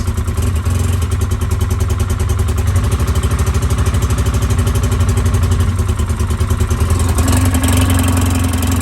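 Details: 2010 Polaris Ranger 800 XP EFI twin, code 652 5 PTO-side injector open/shorted, reproduced on start: uneven stumbling pulse with note change partway; likely vibration-damaged injector harness, epoxied to injector so injector must be replaced.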